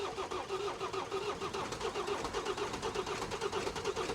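Steady starter churn at about five compression beats a second that never picks up into running; the diesel cranks but won't start.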